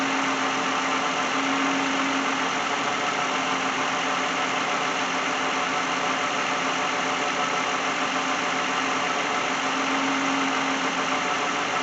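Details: 2010 Lexus in for no-start, customer wants alternator replaced; alternator charging 13.8–13.9 V before battery test: even steady idle hum, no knocks, misses or surging; healthy petrol engine idling while charging.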